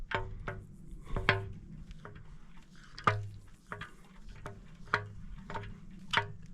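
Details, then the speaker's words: Mini R50 engine being built for racing, turned slowly by hand: irregular hollow clunks about every two seconds while piston 4 moves and another piston does not, pointing to a bottom-end problem. "there must be a problem with this bottom end."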